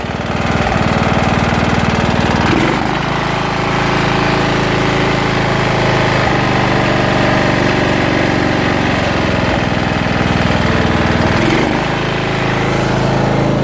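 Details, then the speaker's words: Jonsered LR 13 automatic ride-on mower, Briggs & Stratton 12 hp engine (model 284707, type 014701), after rebuilt simplified wiring: started with starting fluid on a weak battery, now running properly with a loud steady drone, slight dips. "Hop. Allez. Et voilà, ça fonctionne."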